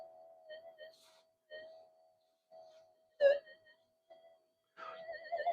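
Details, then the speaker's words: Minelab SD2100 LC oscillator with its frequency-setting capacitors chilled: steady mid-pitched tone in short bursts then wavers and shifts pitch; capacitance change pulls oscillator off frequency. "There you go. I've just changed the capacitance value by freezing them a little bit,"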